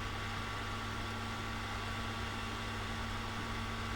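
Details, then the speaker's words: Old Pentium 4 tower PC bought at a flea market powers on: even low hum with steady fan hiss and a faint constant tone, no clicks or grinding; running normally. "I have it ready to go so let's try power on we'll see if it starts it does start"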